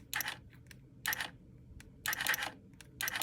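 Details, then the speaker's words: Bucking dummy latch solenoid with a battery reading 11.96 V: faint, thin clicks about once a second. Voltage is adequate but the worn-out battery lacks the amperage to trip the latch, so it needs replacing. "you hear that it's barely clicking it's not got enough amperage the battery is shot is what I'm telling you"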